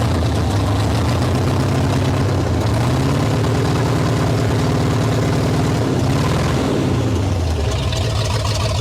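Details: 1973 Ford Mustang Mach 1, 351 V8, sat over 15 years: lumpy low idle that rises and falls unevenly with a brief rev, hunting rather than settling, with some exhaust smoke; rough idle, cause not confirmed.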